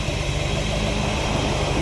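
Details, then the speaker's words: 1970 Dodge D100 pickup V8 just after cam swap with DLC lifters and cam break-in, break-in oil still in: deep, even idle with a steady low exhaust beat, no ticks or misses; normal idle, cam swap judged a success pending a test drive. "it is so good to hear this this thing crank up and run good and to hear the exhaust again."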